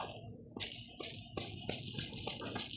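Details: Removed gearbox bearing spun by hand: loose metallic jingling rattle in bursts from wear, with sparkling metal particles in the gearbox oil; gearbox about 1.5 years old running about 300 km a day; bearing to be replaced with a Koyo.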